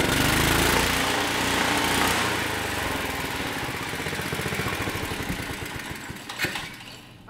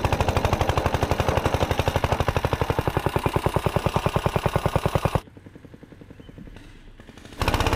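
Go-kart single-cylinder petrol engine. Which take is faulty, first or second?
first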